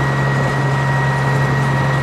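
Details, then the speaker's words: John Deere 544B wheel loader diesel, first start in 23 years after fitting batteries and using ether: steady, even idle with a smooth low drone, no knocks or misses; engine running healthy. "i can't get out here fast enough dude that's incredible literally 23 years"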